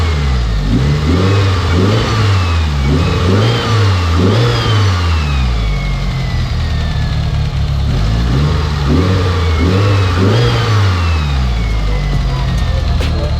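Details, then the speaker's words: Mitsubishi Evo VIII, tuned built turbo engine, after the radiator was pulled back about 3/8 inch off the rubbing dump tube; clean throttle blips rise and fall smoothly, no rattle, scrape or clunk; normal revving. "as you guys just heard this thing sounds absolutely beautiful absolutely perfect now not any screeching or scratching or clunking or threading or no sus noises going on"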